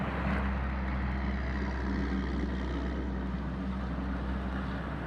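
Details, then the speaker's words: 1995 Ford Ranger 4.0 EFI, codes P0135, P0443, P1445: low, uneven loping idle that never settles; owner attributes rough idle to failed Bank 1 Sensor 1 oxygen sensor, later replaced. "Replace your oxygen sensor if your truck has a rough idle."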